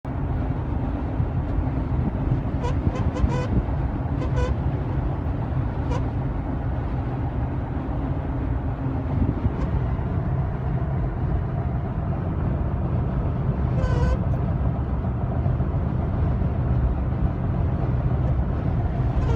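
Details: 2016 Toyota Tacoma pickup cab: short reedy buzzing bursts over steady road and wind roar, only above 60 mph with a driver-to-passenger crosswind; sound comes only from the passenger A-pillar, wind-induced buzzing at highway speed.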